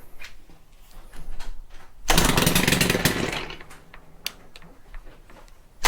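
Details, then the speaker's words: Stihl FC 110 after a stop-switch replacement, found to have had little to no compression. It revs cleanly to a strong buzz, drops back to a smooth idle without stalling, and shuts off properly; runs fine. "but hey it shuts off this is a good used one not gonna be too worried about it shuts off runs fine"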